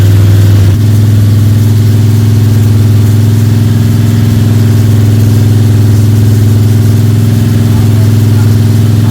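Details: Freshly built Ford 302 Cleveland V8 with Holley Sniper and new electronic distributor, first start, fast idle for cam break-in (~10–15 min), timing around 31°: steady, smooth, even firing, no valvetrain ticking or rattling; healthy normal high idle.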